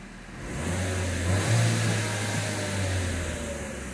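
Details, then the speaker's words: 2019 Vauxhall/Opel Mokka 1.4 turbo petrol, 38,878 miles, revved from idle with window down: rises smoothly and falls back evenly with no knocks, rattles or bangs; healthy engine. "revs nice and smooth that's a healthy sounding engine remember if you go to buy one of these this will give you an idea what a decent engine should sound like without any knocks rattles or bangs"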